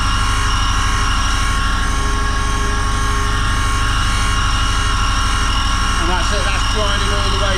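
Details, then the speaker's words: Land Rover Series One 1600cc engine valve being refaced: a steady grinder drone with chatter about three times a second as the stone catches the distorted, pitted, burnt valve face on one side. "you can actually see the dark part every now and again where the uh the valve is distorted and if I try and film this you'll hear it um grinding on one side"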